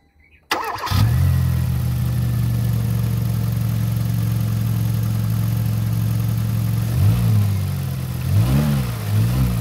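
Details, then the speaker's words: Kia Rio that overheated a month after an overhaul, with oil in the coolant, after repair with new radiator cap: engine catches and settles into a smooth, even idle with light blips, no coolant bubbling; normal. "So ayos mga boss. So walang bulwak yung tubig."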